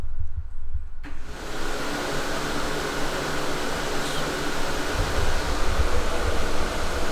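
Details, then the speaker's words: Project car's two main engine cooling fans, wired together, toggled via output test, drawing about 13 amps on a 20 amp circuit: steady even rushing whoosh from about one second, no rattle or ticking; normal operation. "drawing about 13 amps on that 20 amp circuit that's both fans wired together so not too bad so that's the main cooling fans"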